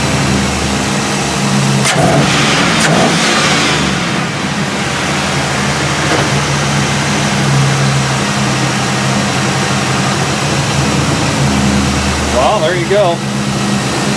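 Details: 5.3 V8 after throttle body replacement: catches, revs up and down smoothly, then settles into an even run with no misses or stumbles; running normally.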